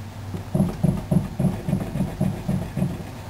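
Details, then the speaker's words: Rear driver-side wheel bearing on a 2001 Chevy Prizm LSi, which rumbled at 55 mph; dull, hollow clunks about three a second as the wheel is rocked by hand, showing play. The wobbly wheel points to a bad bearing. "So I think it's going to be a bearing that's a problem. Wow, that's pretty bad."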